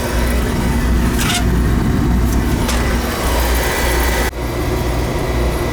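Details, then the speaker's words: Oil furnace burner after new nozzle, cleaned head and new oil filter, good draft: steady, deep, even roar without pulsing, puffing or rumble; stable, healthy flame. "Alright, new nozzle, good. New filterette tank, good overflow and draft."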